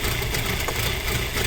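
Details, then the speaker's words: Audi A4 B6 2.0 ALT engine on cold start, idle dropping to low rpm: rough, uneven rumble with unpleasant repeating knocks that grow stronger; owner suspects the camshaft phaser, source unconfirmed. "Сейчас он начнет брать свои малые обороты, и мы услышим на низких оборотах довольно-таки неприятные стуки."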